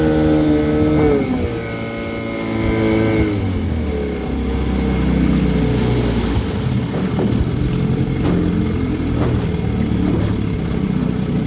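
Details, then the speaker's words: 1974 Johnson 15hp two-stroke outboard, pond test after service with carb tuning, previously wouldn't idle; still cold with thermostat likely closed, little tell-tale spitting: even quick burble settling to steady idle after brief rev, no stumbles. Normal idle. "he's idling now looks like the thermostat is probably closed at the moment it's not spitting very much but when it's good and warm it spits good"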